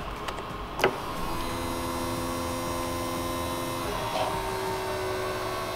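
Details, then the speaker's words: Opel Manta electric fuel pump, temporarily grounded and hand-wired (to be wired to ignition later), tested pumping fuel into a cup: steady even electric hum with faint constant whine, no surging or rattle; pump works properly. "if this works I'll wire it properly to the ignition and make it like come on and off with the car so when I touch this gas should start flowing out of there into the cup"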